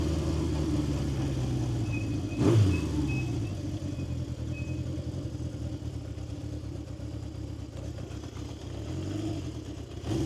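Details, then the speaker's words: 1970 Honda CB750 K0 four with a fully rebuilt engine, about 2,000 km since the rebuild, low on fuel: steady, slightly lumpy, rough idle with an even low exhaust note and a brief blip; healthy. "Oh. I think this is uh pretty one of my uh favorite sounds. And you can hear it when you uh when you you stop, you can hear it uh in the exhaust"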